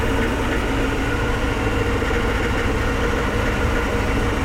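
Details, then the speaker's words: 7.3 IDI diesel with E4OD transmission idling in gear with a heavy, steady roar far louder than normal, slightly quieter in reverse and neutral; began after a long hard drive, owner suspects a cooked torque converter, unconfirmed. "and this just started happening after a long hard drive might have burnt my torque converter not sure it's super loud that's usually not this loud"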